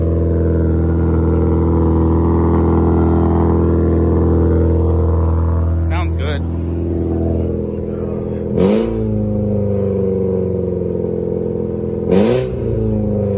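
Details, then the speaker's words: VW GTI with a loud exhaust: a steady drone, then after a blip the revs fall slowly and hang above normal idle; the owner suspects the throttle body or its sensor (tap it or replace it), unconfirmed. "and she's still holding her rpms up which is annoying that's why i don't drive her right now because she's uh i need to either tap the throttle body or get a new one"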